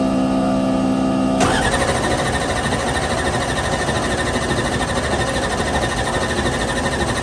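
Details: Gas-and-nitrous race car restarted after a broken rocker, tune checked and fuel cell refilled: catches and runs loud and rough-edged but steady, no knocking or misses; normal running.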